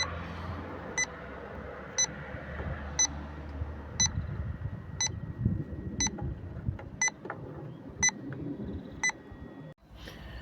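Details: Refrigerant leak detector set to 5 g/year sensitivity, calibrated after 30 seconds, checking heat pump fittings and brazes; short sharp beeps about once a second, steady and even, the normal background rate, no leak.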